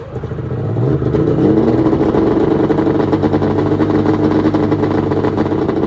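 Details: 1996 Arctic Cat ZRT 600 two-stroke snowmobile, cold start after fuel pump rebuild (Vertex kit), fuel shut off overnight, tilted on tripod: catches quickly, crackly idle, then revs cleanly and holds steady without stumbling; normal cold start and running.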